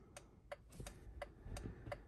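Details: 2006 Honda FR-V 2.2 diesel after repairing indicator module 38650-SJD-E01 (failed G8N-1FS relay): crisp, even flasher relay clicks about three a second at a steady normal rate; indicators now working.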